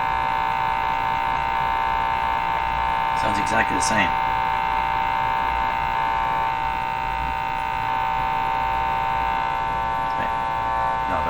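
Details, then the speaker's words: 1935 Rogers Model 7R622 tube radio; loud steady mains hum through the speaker with rich overtones and brief clicks. Hum disappears with only the output tube fitted, so it is traced to two tubes, one being replaced. "okay let's start with turning it on and hearing the hum okay here we yep hear the hum there be the hump"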